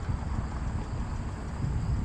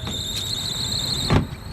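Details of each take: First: Trane rooftop unit blower after belt replacement, test pins jumped: smooth even low hum with no squeal or slap under light wind; belt sounds much better; running to check the transformer's 3 amp fuse no longer trips. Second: Trane rooftop AC unit with no cooling, running after resetting the tripped 3 amp transformer fuse: a loud, steady, high-pitched squeal over the blower, then it cuts off with a thump. Slipping blower belt that needs replacing.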